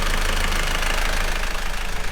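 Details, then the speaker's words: Volvo Penta marine diesel on catamaran after exhaust elbow and turbo replacement, warming up about 10 minutes: deep steady thrum, even beat, no hunting or surging; settled idle, no air leaks. "the engine idle isn't going all over the place which means we don't have air leaks any of that"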